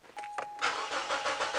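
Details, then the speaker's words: Mazda 626 petrol with an intermittent no-start: starter cranks steadily about a second with no firing; voltage present at the fuel pump but no current, so the pump is open circuit and needs replacement. "so no [Music] signal but we have voltage there so it appears that the fuel pump is now open circuited which is what I expected"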